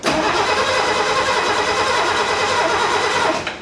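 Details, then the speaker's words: 1969 Mercedes donor car after cleaning the ignition points, start attempt on the old ignition coil. Steady, quick even cranking whirs on for over three seconds and never catches. Cranks but no start; the owner suspects the coil and plans to swap it. "So much better. But we're just not getting any."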